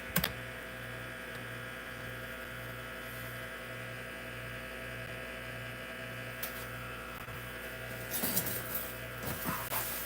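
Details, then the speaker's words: Hard drive in an IBM PC/AT damaged in shipping: a low hum with a steady whine and soft pulsing two to three times a second. The spindle motor and bearings are so loud that head movements can't be heard. "Can't hear the head movements because the platters are... Actually, not the platters, but the motor and the bearings sound so loud on this."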